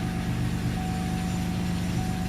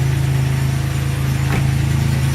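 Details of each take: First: 2002 Chevy Malibu 3100 SFI after replacing crank sensor whose plug had oil inside grounding it out and causing intermittent shutdowns: catches into steady even low hum; somewhat noisy, owner attributes knock to loose cylinders until warm. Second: 2002 Chevy Malibu 3100 SFI V6 idling cold with a dull knock of about four a second; loose cylinders give piston slap until warm, and the noise goes away when the throttle is opened.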